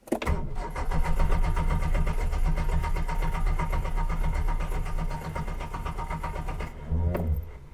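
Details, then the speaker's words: Reliant Fox broken down on a hill after an exhaust fix, cutting out uphill: starter churns the engine steadily for several seconds without catching, then brief whirr as cranking stops; no start, owner suspects fuel starvation from low fuel. "that feels like fuel starvation oh yeah giraffe we're going uphill we've lost fuel okay i might have to put more fuel"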